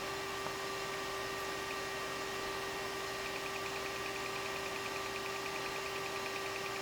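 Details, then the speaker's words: EVGA X58 computer failing to boot after a blue screen and power dip: faint, fast regular clicking from the hard drive over a steady fan hum; the drive is suspected bad; hard drive clicking. "I hear the hard drive clicking. I'm wondering if that drive went bad."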